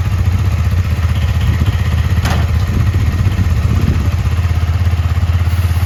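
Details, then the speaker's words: KTM Duke 250 on paddock stand, engine idling before cleaning and lube: steady single-cylinder idle with a light fast rattling clatter from a completely dry drive chain; noise gone after cleaning and lubing. "ठीक है, चेन का हालत आप लोग देख ही सकते हो, पूरा एकदम सूख गया है।"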